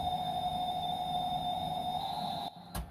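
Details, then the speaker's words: Amstrad CPC464 tape deck with the mic at the side of the computer, belts already replaced and mechanism lubricated: the loading tone wavers in pitch instead of holding steady. Owner suspects the idler tyre or the main drive clutch pulley. "you can hear it can't you you can hear it going wobbling on the sound so like I said I believe there is the idler pulley"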